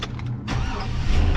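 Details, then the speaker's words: 2004 Chevy Silverado after a crank sensor swap: short crank, then it catches and settles into a running rumble once a power probe supplies the injector ground side. Owner suspects a bad ground somewhere and plans to clean the grounds. "and it fires right up. So what that makes me think, actually, sorry about that. What that makes me think is that there's probably a bad ground somewhere."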